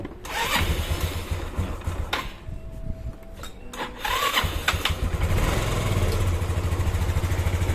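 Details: Yamaha Xeon 125 scooter after engine rebuild for a klak-klak knock, connecting rod and bearings replaced; catches after a few rough cranks, fairly even idle, some clatter only because covers are still open. Normal running after rebuild.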